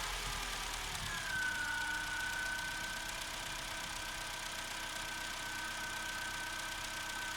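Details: Opel Corsa C 1.2 16V (55 kW) petrol, cold start after spraying connectors: revs ease down over two seconds then hold steady even idle, no misfire; started first time.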